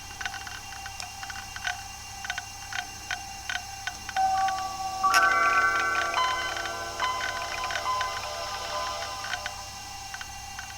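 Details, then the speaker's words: Toshiba Libretto 50CT (1996) hard drive at startup: normal drive clicking plus a louder regular click about three a second; heads seem to keep returning home and resetting, so the drive is likely failing. "we can hear the standard clicking of this fairly loud hard drive but there's a second click a louder sort of regular click that's happening which i don't think is normal i think the heads are constantly returning to their home position and coming out again"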